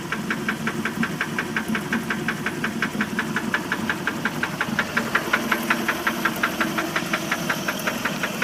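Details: 1988 Mercruiser 3.0 liter boat engine at idle: steady sharp knock about three times a second over a smooth idle; internal engine knock, cause undiagnosed.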